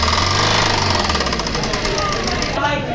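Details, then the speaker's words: Maruti Swift diesel at idle after start: hard, fairly regular metallic knock about three to four beats a second over the idle clatter; mechanic suspects timing out, cause unconfirmed. "ਆ ਤੁਸੀਂ ਸੁਣ ਸਕਦੇ ਹੋ ਆਵਾਜ਼ ਕਿੱਦਾਂ ਦੀ ਹੈਗੀ ਆ। ਤੇ ਆਪਾਂ ਹੁਣ ਇਹਨੂੰ ਚੈੱਕ ਕਰਦੇ ਹਾਂ ਕਾਹਦੀ ਆਵਾਜ਼ ਹੈਗੀ ਆ। ਮੈਨੂੰ ਤਾਂ ਟਾਈਮਿੰਗ ਆਊਟ ਲੱਗਦਾ"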